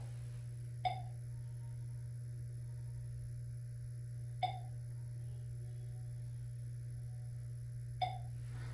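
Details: Montgomery Vector hydraulic elevator, installed 1994: stopped at second floor, steady low hum with a short electronic chirp about every three and a half seconds instead of a proper chime; faulty chime, which sounds very loudly on reaching the lower floor.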